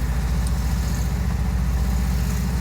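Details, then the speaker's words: VW Kombi with freshly redone engine (previously lost power on hills) climbing a steep hill slowly in first gear with light throttle; low steady drone, even firing, no knocks; pulls smooth and strong, even asking for a higher gear. "devagar não vou acelerar muito também não é a ideia né mas tá indo ó devagarzinho tá até pedindo marcha aqui para ser honesto mas eu vou subir em primeira"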